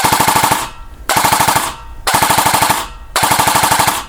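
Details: Elite Force MP5K airsoft with Perun V3 Hybrid drop-in mosfet, tuned internals and 12:1 SHS gears, after adjusting selector placement: four crisp bursts of rapid, even shots with clean stops; gearbox cycles consistently on full auto.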